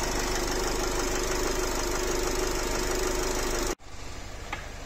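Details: Nissan X-Trail 2.0 dCi diesel, 250,000 km, blow-by present, squeal in the engine: a steady hard knock about three to four per second at idle before the engine cuts out, a connecting rod knock.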